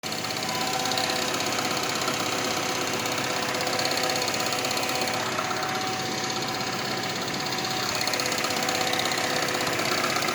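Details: Renault Megane 2 on cold-start idle after sitting overnight: light, tinny tapping about three times a second, like loose sheet metal. It sounds like engine or dual-mass flywheel knock but is a rattling exhaust manifold heat shield, gone when warm and while driving.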